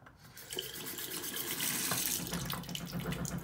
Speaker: so pipe hammer occurs where the spindle and attack is worn allowing the water to flow up and down the tap washer causing that vibration